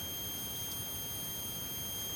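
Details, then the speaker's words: Olivetti Divisumma 18 vintage calculator power supply on power-up after capacitor replacement: faint steady high-pitched whine; rails about -23 V and 30 V, oscillation 1.6 kHz; supply appears to work properly. "Do tensione, si sente un piccolo sibilo, non so se verrà registrato."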